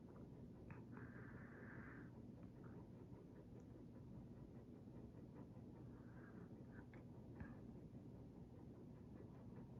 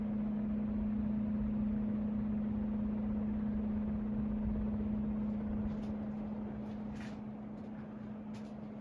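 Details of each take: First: Hunter Mariner 52-inch white ceiling fan with Marine II light kit, running on its low setting. Only a soft, even low hum with no ticking, rattle or wobble; absolutely quiet, normal operation. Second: Hunter Mariner 52-inch ceiling fan with Marine II light kit running: steady low-pitched hum at one even tone, no knocking; owner suspects the white part may be causing it, not confirmed.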